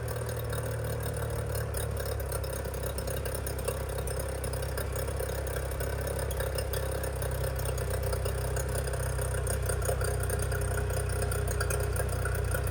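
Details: 25hp Mercury outboard after carb rebuild (junk in carburetor), new fuel pump parts and spark plugs, running on the shop tank: a steady low burble at idle with no stumbling or surging. It is idling cleanly.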